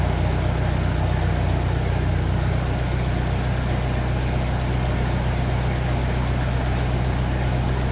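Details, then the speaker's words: 1957 Ferguson 35 TVO tractor idling on petrol just after starting, before warm-up, with rocker shaft replaced after inlet clearances had grown large; steady, even low idle with no top-end tapping; normal idle. "so that sounds lovely in quiet it did sound like this before with the last Rock shaft and then it slowly start getting loud so I'm going to get this warmed up"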